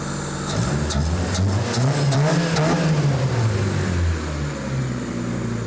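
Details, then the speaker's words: Donor engine just installed in an EM2, running on a second start. Idles evenly, picks up cleanly on a blip of throttle and drops back smoothly, with no knocks or misses; sounds healthy. "Sounds like a good engine. All right, you can shut it off. All right, everything sounds really good."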